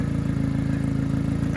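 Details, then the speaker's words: 1992 Subaru Sambar KS4 minitruck, after valve cover gasket, grommet and distributor O-ring replacement: steady idle with a sharp, even puff on each firing pulse; owner suspects an exhaust leak, commonly at the flex pipe; exhaust puffing noise. "it sounds like it has a little bit of an exhaust leak a lot of these the subaru's kind of leak at this flex pipe"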